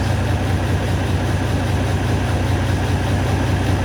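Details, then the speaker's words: Detroit diesel in a Kenworth W900 idling lumpy with a hollow gap during a cylinder cut-out test; cylinder six completely dead, four also weak; harness was fine, exhaust and intake valves found far too tight. "all right bring it back two bring back four six is completely dead"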